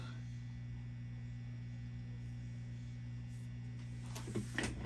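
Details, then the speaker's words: Fender Bassman 70 silverface tube amp, powered up on a current limiter then at full 120 V, all volumes down: constant low mains hum from the power amp, suspected filter caps and/or power tubes; the pots also have contamination. "we have a little contamination in the potentiometers with all volumes down we're getting some Power Amp pom filter caps perhaps power tubes perhaps blend of both perhaps"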